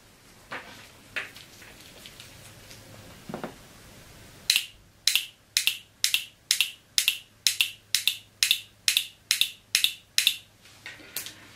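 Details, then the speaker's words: Mercedes 722.6 automatic transmission shift solenoid, removed, bench-tested with 12 volts from a small battery: sharp, crisp clicks roughly twice a second as it opens and closes cleanly; solenoid works correctly. "you could hear the electric function it's perfect the solenoid very clearly audibly opens and closes I can feel it it's vibrating so it definitely works correctly"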